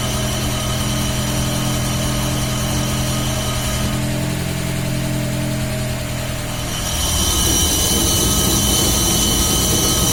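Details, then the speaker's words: VAZ classic (2101-2107) raised on stand, engine running in gear, rear wheels spinning: steady low hum with faint rhythmic knock, rising near end; worn rear axle shaft bearing, mistaken for differential which was replaced without curing it; bearing to be replaced. "Такой гул вот издается, надеюсь, слышно."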